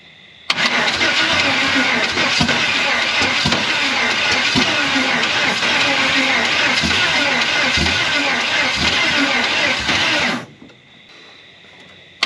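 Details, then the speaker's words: Chevy 350 V8 in a 4x4 Ford Ranchero sat torn apart 30+ years, first run on wide-open headers: loud crackling bark at a steady even fast idle, no misses or audible knock, good oil pressure; runs well. "an absolute disaster of a 350 and it actually runs pretty darn good it sounds good it sounds healthy it's got awesome oil pressure"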